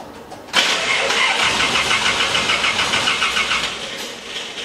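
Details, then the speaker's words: Bandit 1890XP wood chipper after twin-disc clutch replacement and adjustment: harsh, raspy starter whir with uneven chatter about three beats a second while cranking. The starter sounds unhealthy, cause unclear. "I don't like the way that sounds with the starter though I don't like the way that sounds on the starter that starter does not sound healthy does it now"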